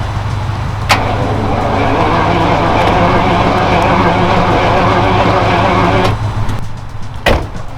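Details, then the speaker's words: Free Jaguar XJS V12, being jump-started (battery in trunk): starter cranks steadily at a fast even rhythm for about five seconds but engine never catches; crank, no start, cause not yet found. "So now that we know that that's covered, yeah, that's another thing wrong with this car. It doesn't start."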